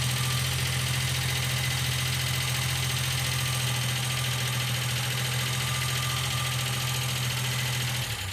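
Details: 1995 Geo Metro three-cylinder idling with a light, fast ticking steady with engine speed, typical of a noisy lifter; B-12 fuel injection cleaner then added to the engine oil before an oil change.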